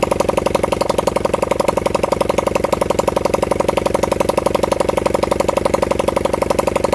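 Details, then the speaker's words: Honda CB100N single-cylinder motorcycle on its first start in over 20 years, fed from a half-flat battery; fast popping idle at about four beats a second, slightly lumpy and uneven. Rough running, possibly fuel-related. "Gone again with ignition. As you can hear, we had a pop out of it."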